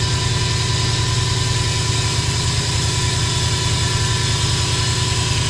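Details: 2005 Subaru Impreza WRX at idle: thin constant whine over the engine note, not changing with the beat; turbo whistle heard when driving; source undetermined.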